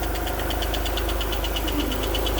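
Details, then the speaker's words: Alfa Romeo GTV V6 not started for several years, with a correctly tensioned cam belt and a new battery: light, quick, even tappet ticking over a steady idle, as expected with no oil yet at the top of the engine. "you've got a little bit a little bit tappity as you would expect from an engine which has not been run because there's no oil at the top of the engine and everything needs to settle in"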